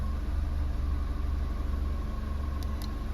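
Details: 2012 Holden Barina 1.4 EcoTec, after replacing intake VVT solenoid, stored misfire code still present: engine starts smoothly and settles into a steady, even low idle with no misfire or knocking.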